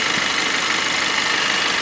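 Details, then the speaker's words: Kia engine at idle with headlights on, checking an abnormal noise: steady hissing whir with faint thin whine on top; points to worn auto belt tensioner bearing. "आज हम बात करेंगे engine में कुछ अजीब तरह की आवाज़ आ रही है, एबनॉर्मल साउंड है, आज वो चेक करेंगे।"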